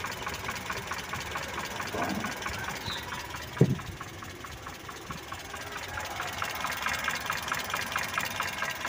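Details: Mitsubishi Colt T120 engine idling while the distributor timing is set: a light, even idle with a soft regular tick and no misfire or stumble; it sounds settled and healthy.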